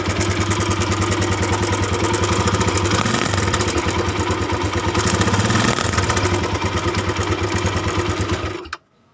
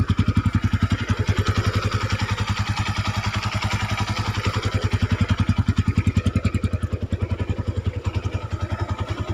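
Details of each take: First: Honda Tiger 200cc, recently fitted with a new cam chain and tensioner: rough, uneven idle with a loose clattering rattle. The cam chain cover area is to be checked. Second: Honda Tiger 200cc single-cylinder after cam chain replacement; even steady idle beat without knocking or rattle, smoother with clutch pulled, slight clutch-area noise otherwise, brief clean rev; normal idle.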